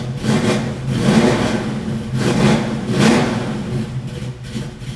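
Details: 1967 Chevrolet Camaro, 350 small-block with Holley 4-barrel, Performer RPM intake, MSD coil and dual exhaust. Deep, lumpy V8 burble swells cleanly on three throttle blips and settles, with no knocks or ticks. Normal idle and revving.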